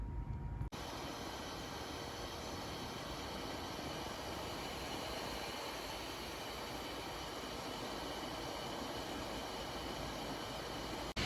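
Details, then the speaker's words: 2014 MacBook Pro, dual-core i5 2.6GHz, 8GB RAM, on macOS Big Sur under heavy load such as video compiling; fan at higher RPM than on Catalina, a steady even rush of air with no rattle or scrape, normal. "This also explains the overall slight reduction in battery life as well. And this also has obviously increased the fan noise when under load."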